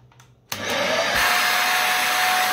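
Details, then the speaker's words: Dyson DC50 Rollerball vacuum: motor spins to steady high whine with thin, off-sounding airflow note, sucking only through the hose, not the floor head; loss of suction at floor head. "you see there that sound sounds funny like it's only sucking through the hose not through the actual floor part"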